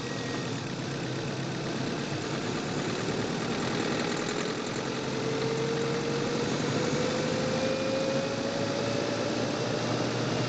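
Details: Manual-transmission car on a test drive in Quezon City, microphone in the engine bay: steady engine drone with a faint rising tone and a light rough rattle when accelerating; owner suspects engine knocking, not confirmed.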